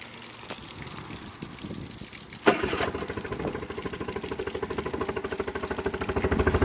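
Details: Honda BF10DK3LHS long-shaft electric-start outboard on water muffs: running water, starter kicks, then an even, regular putter that firms slightly; extremely quiet, smooth, healthy idle.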